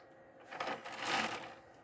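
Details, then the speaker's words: PlayStation 2 fat console disc tray: a short scraping, rasping grind as the tray slides out, because the warped plastic leaves too little play; it is not lubrication. "you hear that grinding and what's happening again is is that it's it doesn't have enough play enough room because like I said the plastic warps"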